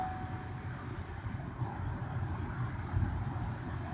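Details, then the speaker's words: 2008 Chevrolet Trailblazer after repairing a blower motor that stayed on: steady smooth low whoosh of the blower with AC on and engine idling, and it shuts off when switched off; blower working normally. "we got fans blowing right now of course ac on and if you shut it off they shut off like it should doesn't stay running"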